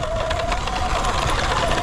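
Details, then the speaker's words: E-bike with 273 miles, riding over bumps after squeaking: loose jangling rattle over motor whine and tyre noise, shaking with the bumps; the whole bike is rattling. "Oh, dude, the whole bike is just rattling and making noise. I love this bike, but it is, the sounds it makes sometimes do not inspire confidence, I'll say that."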